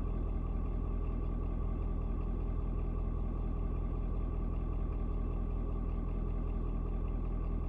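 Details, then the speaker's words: Ford Super Duty 6.7 diesel (Platinum) cold start at 56 degrees: steady, even low rumble with no knock or miss after a slight rpm drop (owner unsure if block heater cutting off); normal diesel idle. "i saw the rpm just dropped just a little bit and um it's like the truck is kind of like i guess the engine i'm not sure if it's like the engine block heater turning off but like i said it drops down just a little bit you know pretty much let me know that hey yeah it's uh it's good to go"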